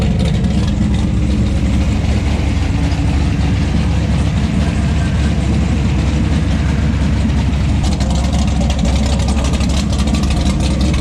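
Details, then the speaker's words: 1970 Plymouth Barracuda with a freshly built 400-block 512 big-block stroker (Trick Flow 240 heads, cam, intake), after initially refusing to idle: a deep, loping idle holding steady on its own with no stumbles. Still needs some tuning. "So we got some little tuning to do here, but it's a runner."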